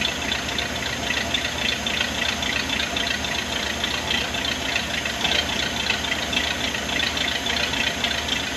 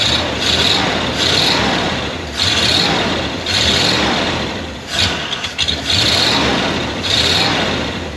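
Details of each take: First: 1979 Ford barn find engine running on its own right after fuel pump and fuel lines were fitted, needing a little gas: steady, even rumble with busy top-end clatter, no stumbling or dying; fuel delivery healthy. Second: 1979 Ford barn-find truck, carbureted, just revived: engine surges and sags, bogging and going flat when throttle is given, so you must lift off and reapply the throttle.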